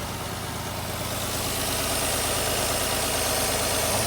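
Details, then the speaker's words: Infiniti I30 V6 at idle: uneven, loping beat with about three stumbles a second from one cylinder's dead coil. Coil pack to be replaced and retested. Idle misfire from dead ignition coil. "That is a coil ramp. That is a dead coil."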